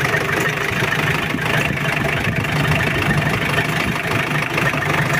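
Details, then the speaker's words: Mitsubishi L200 Triton diesel just started, still cold, heavy starter, smoky exhaust, running hot: lumpy, uneven idle with irregular low knocks and stumbles; rough idle from low compression due to worn piston rings. "Nah itu asapnya dan suaranya juga pincang"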